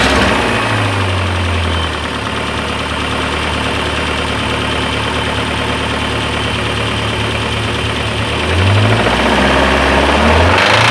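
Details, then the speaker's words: MG TF, microphone on a ledge: rough idle with hard metallic knocking that sharpens as revs rise and fall; deep bottom-end knock, cause unknown, engine considered dead, teardown planned. "right as you heard it's not very nice I did put my microphone just on on this little ledge here um so hopefully that's come across that you could hear it properly um yes the engine's dead basically"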